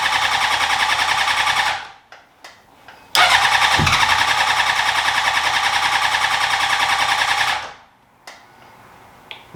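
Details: 2003 Honda CBR600RR track bike project: two few-second bursts of fast, even starter whir with no firing. Cranks but won't start; fuses checked, no fuel pump sound heard, and a fuel pump power fault is suspected.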